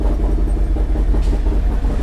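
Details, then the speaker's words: 2022 Harley-Davidson Road Glide Special, first start after Screaming Eagle cam, upgraded oil pump, intake, injectors and tune, oil pressure confirmed good: deep, lumpy V-twin idle steady and even, no knocking or ticking; healthy. "yeah actually sounds good nice I like it he do you hear a different Rumble to it oh yeah yeah"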